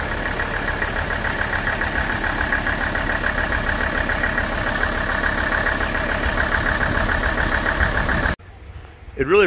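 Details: Warmed-up Mercedes OM617 diesel with new injectors, idle raised slightly, before Diesel Purge injector cleaning; steady sharp nailing knock on every firing, which went quiet during the purge; diesel knock at idle, cause not confirmed.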